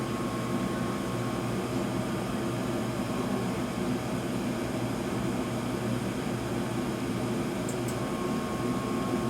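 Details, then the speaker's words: York Diamond 80 gas furnace from 2000, 90,000 BTU input, 80% efficient, in heat mode after inducer and burners light: steady even airflow rush with faint constant hum, no knocks, rubs or squeals; blower running smoothly. "that sounds very cool all right that's that Blower's on now it's hot"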